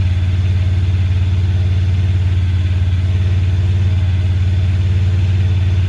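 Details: 2017 Honda Pioneer 1000-5, code 9-2, sometimes won't go into gear. Loud, deep idle sitting too high and pulsing unevenly about three times a second. Cause was factory over-crimped wires broken inside the insulation at the IACV plug; plug replaced and recrimped.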